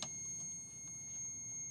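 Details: Ducati 748 that dies, kickstand switch tested for continuity with alligator clips: a constant high beep with no dropouts while the wiring is wiggled, so the connection is solid and not intermittent; kickstand switch likely ruled out.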